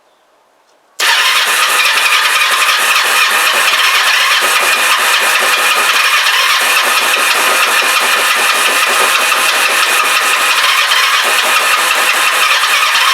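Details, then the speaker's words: Kawasaki GPZ500S twin on brand-new fuel, starter button faulty: fires and holds fast, ragged, uneven firing beat, not settling to clean idle, vapor from back of carbs; rough running, cause unknown, timing suggested. "well it's different okay it's not happy but it started um I don't know why and again someone suggested that this could be timing"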